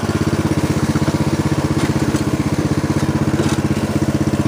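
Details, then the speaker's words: Snapper riding mower, friction-disc drive after repair, engine at idle speed, backing up: steady pulsing chug around four beats a second with even rumble; by design noisier than hydrostatic or gearbox drives; normal drive noise. "transmissions by their design they will have more noise than most you know most water and type of transmissions out there"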